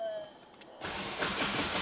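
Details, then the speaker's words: Honda Civic Type R after a day of ABS pump VIN-matching attempts: after a quiet start, the starter churns in sluggish, dragging turns and never catches; the battery is too weak. "my battery's a little dead. Hold on, let me put a jump pack on it to get the true experience. I've been doing this all day, so my batteries might be dead."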